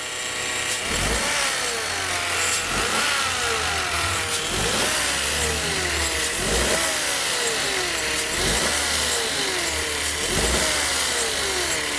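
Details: 2017 Peugeot 208 1.2 three-cylinder whose engine noise began quietly and grew louder over time: at idle and on throttle blips, a whine rises and falls with revs and is loudest at the front of the engine; cause not yet pinned down.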